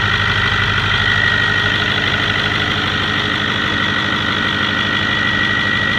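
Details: 6.4L diesel idling with steady rhythmic chatter and faint high whistle; strange noise of unknown cause, diesel shop says it's not the manifold bolts.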